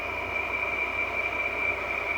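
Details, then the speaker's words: 2003 Frigidaire window air conditioner built by Electrolux, restarted after over three years unused, running on high: a constant shrill whine over the steady fan rush; fan motor bearings worn out. "obviously the fan motors bearings are shot this is when the electrolux started building frigidaire units and they all they got cheaped out now i got cheap ass fan motors which the bearings wear out after five years this noise is unbearable"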